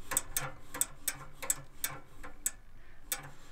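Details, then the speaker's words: Suburban NT-16se RV furnace on the bench, fan spinning when the thermostat calls: sharp light clicks about two or three a second over a low fan hum, the sail switch responding normally to airflow. "And that's the sail switch. So fan blows, which triggers the sail switch, which is the first line of defense in the, or safety feature in the furnace."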